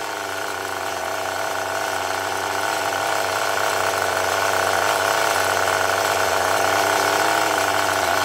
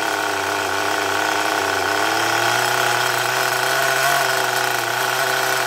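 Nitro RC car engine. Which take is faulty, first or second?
second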